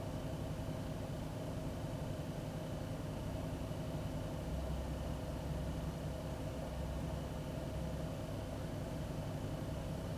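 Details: 2001 Ford Taurus petrol engine after cleaning the idle air control valve; air filter and MAP checked: steady low idle with a faint uneven, lumpy pulse, no knock. Still a rough idle; faulty IAC valve suspected, not confirmed.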